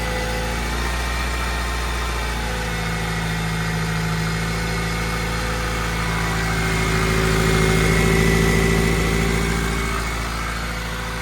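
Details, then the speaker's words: Toyota Celica GTS after radiator replacement following a raccoon strike, idling while checked for coolant leaks and overheating: smooth even idle, steady low hum, no knocks or misses; engine fine, leak traced to a hose. "so it just sounds pretty good"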